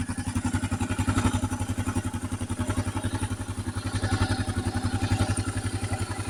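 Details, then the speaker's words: 2008 Kawasaki KLR 650 at 19k miles, just after an oil change, idling low during warm-up: fast steady single-cylinder thump with dry metallic clatter each beat; owner suspects loose top end (balancer already adjusted, not confirmed). "And that's kind of the warm-up area, but you can hear it. At least from my perspective. They're kind of loose in the top end."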